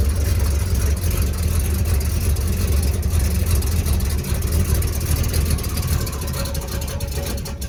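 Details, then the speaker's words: 334 small-block Chevy after break-in and oil change, still needing tuning: deep, steady rumble with even firing beat, no knocks or ticks; running smoothly. "still got a little bit of tuning to do but she sounds good doesn't she"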